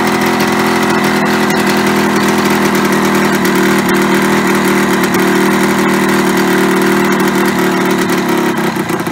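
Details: Yamaha RD125LC two-stroke after standing 17 years: steady, fairly high buzzing tone that never drops to a slow idle; idle too fast, owner plans to adjust the carburetor side screw to lower revs.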